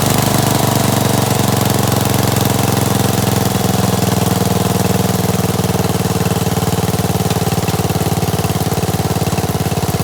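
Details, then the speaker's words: Gravely 816S with a 16HP Briggs single and a replacement Chinese carburetor, rigged-up ignition, first run after about a month: settles into a steady, even idle with a regular thump and no misses; normal idle. "sounds good that's cool man sounds pretty good huh got my rigged up ignition here"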